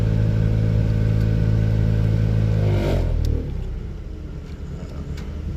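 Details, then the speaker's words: 2003 Buick LeSabre 3.8: loud steady low drone with strong hum from the HVAC blower, dropping away as the fan slows; worn blower motor, before replacement. "Doing the blower motor on it. Just finished a lot of other services on it. You can check that out. Link in the description. But the blower motor sounds like this."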